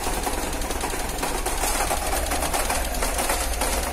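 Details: Car engine cold in the morning: fast, even ticking over a shaky, uneven idle; rough running with ticking, cause unclear.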